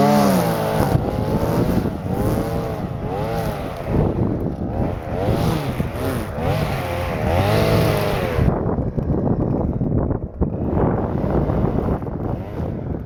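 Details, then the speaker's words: Stihl FS-250R two-stroke string trimmer after carburetor rebuild kit (old diaphragm had hardened from sitting with stale gas), cutting wet grass in rain: crisp buzz rises and dips into grass, recovering cleanly; normal running under load. "Yeah, she works good. Hope it just keeps working. No reason why it shouldn't."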